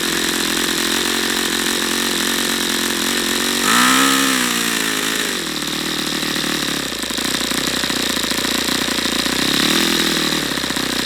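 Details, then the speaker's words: YS FZ63 glow model engine, first run, 22% nitro/18% oil fuel, OS F plug: high buzz sags and swoops, hunting unevenly instead of holding speed, not reaching full throttle; owner suspects debris in fuel regulator. Erratic running. "a it's just as odd I don't understand why it's not going to Full Throttle now what am I seeing in here strange stuff"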